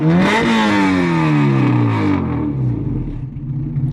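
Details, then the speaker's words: Car with a newly fitted distributor, on fresh E85, now drives. Revs climb then sag and drop away unevenly, the pull breaking up under throttle like a misfire; the fault persists, and dirty fuel system or injectors are suspected. "RPMs like cutting out like I mean it drives now yeah it looked like it was driving what I think whatever the [ __ ] the issue is that we're trying to find is still there somehow"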